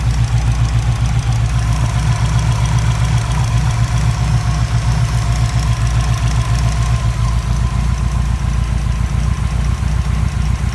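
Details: Subaru WRX with a Walbro 400 l/h fuel pump: rough idle with a quick, uneven ticking about four times a second, fuel rail pulsation, and occasional stumbles like a misfire, with an engine error. Cause not confirmed.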